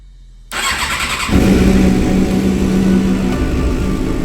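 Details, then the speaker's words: 2007 Suzuki GSX-R 750 wrecked-bike rebuild that couldn't hold idle: fires after a short crank and settles into a steady, even idle with no hunting after swapping in a different fuel tank; cause was bad fuel. Normal idle. "Bike sounds like it's running a lot smoother."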